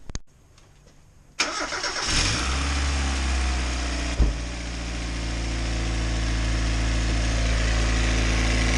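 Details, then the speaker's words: Mazda MX-5 after replacing the exhaust manifold gasket: engine starts and idles with a fast, fairly even tick on the exhaust note and some smoke; exhaust leak still present, gasket suspected, bolts being tightened more. "um it's still kind of yeah it doesn't sound good does it"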